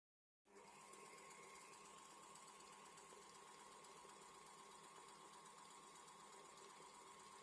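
Quiet, even hum with a light regular flutter and no grinding or rattle: the fan bearings are running smoothly.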